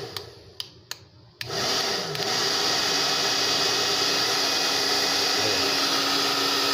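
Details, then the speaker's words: Switch clicks, then a steady airy fan roar with no rattle from a Tecno Elétrica Fórmula 6000 Turbo hair dryer on the cold setting after an adapted heating element was fitted. It is unclear whether only cold air in that switch position is normal; it runs smoothly. "desse jeito aqui só desse jeito aqui só para frio não sei se é normal ou se alguém já mexeu aqui"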